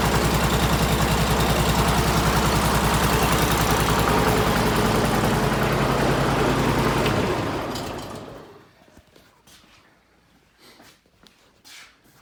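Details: Bobcat M500 skid steer repowered with Honda GX690 V-twin, high-mount muffler relocated: steady, even putter at fast idle with clean exhaust note, then shutdown and run-down; normal running.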